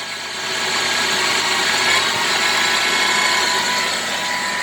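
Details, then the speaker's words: 2007 Chevy Trailblazer running: thin whine climbs with revs but not with steering input; the cause is identified as the idler pulley bearing below the alternator, not the power steering pump. "that is the noise it's making and i've determined it to be the idler pulley bearing"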